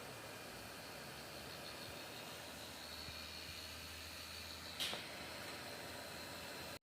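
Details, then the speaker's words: Two small computer cooling fans in an enclosed battery box for a Renogy lithium battery on a 2014 Swift motorhome, drawing air past a 5mm aluminium plate: steady soft airy hiss, faint high hum, no rattle; quiet normal fan running. "Right, so here's the cooling fans. As you can hear, they're fairly quiet."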